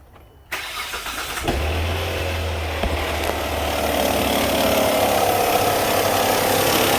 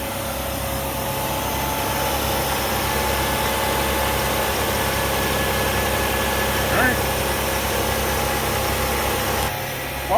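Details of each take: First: 2004 Hyundai Santa Fe 2.7L, customer complains of engine noise: rapid flapping clatter at idle, the belt flopping and slapping. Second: Engine started after replacing a worn tensioner that had lost tension, done to cure clatter: steady even idle hum with no clatter or ticking; noise gone.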